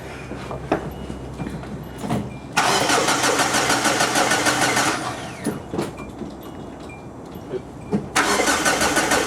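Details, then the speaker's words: 2004 Hyundai Sonata that died while driving, starting fluid sprayed in intake: two long bursts of steady cranking at about three turns a second, engine nearly catches but never runs; owner suspects fuel pump or timing belt. "I did hear it a little bit it sounds like it almost turned over I got spray a little bit more inside"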